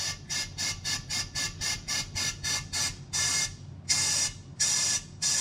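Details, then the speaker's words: Rebuilt 14 bolt rear axle on old wood truck before refilling oil: short airy hisses about once a second passing freely through the differential breather; not plugged, but the breather hose is cracked and will be replaced. "So I would say the breather's not plugged, although the hose has a crack in it."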